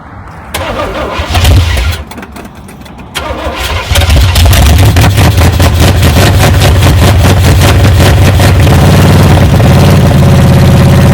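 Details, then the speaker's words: 1978 Chevy K10 truck, sat 27 years: after fuel was fed from the tank through the pump into the main line and two-cycle gas poured in the carburetor, the engine catches and settles into a steady, even idle; gauge shows charging and oil pressure. "I think I think it may idle now it's running a lot better yeah just according to the gaug is charging so that's that's good we got oil [Music] pressure"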